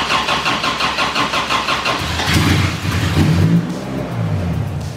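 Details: Toyota Corona race car with a 3S engine swap, started for the first time in months after fuel system and wiring work: steady starter cranking for about two seconds, then it catches and settles into a deep, even idle, a clean start.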